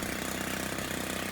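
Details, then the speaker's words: Stihl FS90 trimmer at idle after the idle speed screw was backed off until the trimmer head stopped spinning; light, even two-stroke burble with no whir from the head. Normal idle. "you don't want it to be spinning when it's at an idle so you just decrease it a little bit until that head stops spinning"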